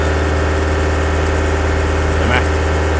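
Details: Toyota Fortuner, about 170,000 km, held at 2500 rpm: constant rough whirring rattle from the engine front while the charging tester shows no alternator output; failing alternator overrunning pulley clutch.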